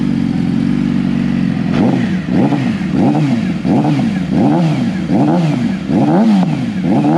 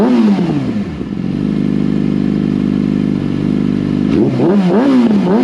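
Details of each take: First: Stock, warmed-up 2014 Yamaha R6 before an ECU flash and dyno tune. Repeated throttle blips from idle, each rev rising sluggishly and hanging before dropping. The air-fuel ratio is believed to be very lean, causing the hesitation. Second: 2014 Yamaha R6 after unrestricted ECU flash: clean climb to a steady high hold, then quick crisp blips rising and falling without stumbling; runs smoothly with much better throttle response.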